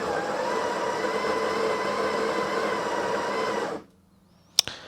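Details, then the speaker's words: Breville 870XL espresso machine grinder: steady even motor whine for about four seconds, then clean shut-off click; grinder healthy, though the water pump is weak and recommended for replacement: normal grinder operation. "on that so looks like the grinder is working okay uh the grind amounts are in a correct position usually it's between uh 7 and 8 so that's about right everything here seems to be okay time"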